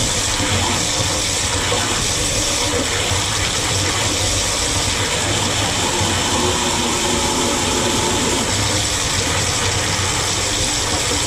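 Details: HALO 5 whole house water filter just installed, forced regeneration cycle running 10 minutes: loud, steady rush of water and spitting air from the drain without easing; normal air purge.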